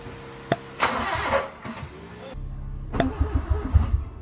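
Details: Honda Civic (EK hatch) engine, rebuilt, on about the fourth attempt with the distributor advanced slightly: starter grinds in short bursts and the engine catches only briefly before dying. Crank, no start.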